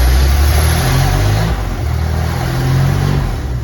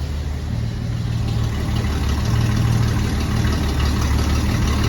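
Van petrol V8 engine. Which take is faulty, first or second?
first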